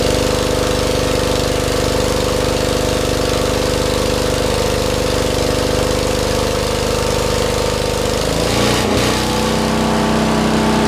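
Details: 40-year-old Lincoln Weldanpower 150 engine-driven welder, rope started, welding at full output: small engine drones evenly, then dips and settles as the weld load comes on; steady governor, runs healthy.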